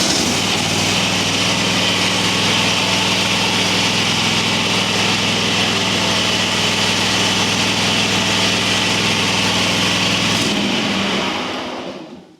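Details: Higher-horsepower twin-cylinder mower engine with upgraded head gaskets, not yet warmed up: an even, steady low drone at constant speed for ten seconds, then a clean shutdown. Normal running.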